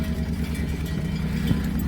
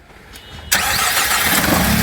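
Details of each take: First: Misfiring engine, uneven lumpy idle with missing low thumps and spitting, splattering pulses; running on two cylinders, and a spark plug test shows cylinder three dead. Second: Car after fixing a dead-cylinder misfire (coil not blamed; injectors next if it persisted): sharp catch then immediate even steady idle, no stumble; clean start, running perfectly.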